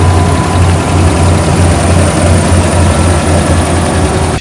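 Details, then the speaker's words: 2010 Dodge Ram 1500 5.7 Hemi after lifter/cam repair with new lifters, oil pan gasket, 14,500 shown: starts right up into a deep, steady V8 idle with even rumble, no ticking or knocking; normal idle. "Let's start it up. Starts right up every time."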